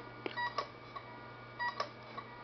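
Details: LaCie 1 TB external hard drive that suddenly stopped working: faint sharp clicks and short chirps about once a second after power-on, failing to spin up. Owner suspects the power supply, not confirmed.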